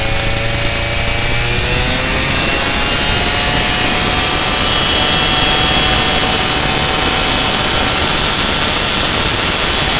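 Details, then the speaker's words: Lawnmower small engine hot, on 10% ethanol E10 gasoline, spark plug wire disconnected, still running at a steady high buzz and surging; owner suspects the hot plug and engine ignite the ethanol without spark. "when the spark plug gets warm enough the ethanol will ignite from the temperature of the engine and the temperature of the spark plug and when it does that you hear the thing take off"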